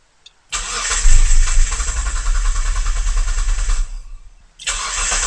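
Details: Mitsubishi Legnum with replacement engine, cam sensor probed during cranking: starter spins steadily about three seconds with a few weak catches that never pick up, then cranks again; won't start, wiring/signal faults suspected.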